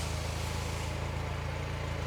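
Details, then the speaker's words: Completely restored 1951 Willys Jeep engine, heard at the exhaust at steady low idle: even, regular pulses with each cylinder firing cleanly in turn; clicking them off just like it's supposed to, smooth healthy running. "okay but yeah it uh listening to it here out the exhaust it sounds like it's clicking them off just like it's supposed"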